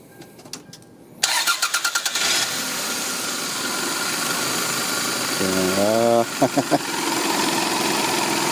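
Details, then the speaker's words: 1996 Toyota Camry in cold snowy weather after sitting a few hours, bad battery cable connection, aging battery: slow uneven cranking about three beats a second drags before catching and idling; extended cranking. "because it's so cold it's super cold right now snowy that's why but at least it's connecting"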